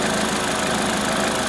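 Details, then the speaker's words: Crash-repaired Corsa after refitting the front end, idling while the coolant is bled: steady, even idle hum with no knocks or misses; normal idle. "As you can probably hear, the engine's running quite sweetly and nicely."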